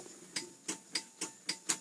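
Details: 1999 Mitsubishi Canter 4WD cab-over fire truck with a 4.7-litre four-cylinder diesel, 9,409 km and 828 hours. Six crisp, clean relay clicks about a third of a second apart in a quiet cab; a normal relay.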